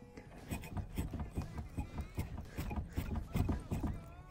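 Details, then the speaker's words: Lada Kalina/Priora steering rack check: dull low thuds about two to three a second as the tie rod is rocked up and down by hand; steering rack has play and knocks. "вот сегодня пойдет речь о рулевой рейки и как узнать если оно стучит надо он взяться за эту тягу и потянуть вверх вниз прилагая немножко усилий"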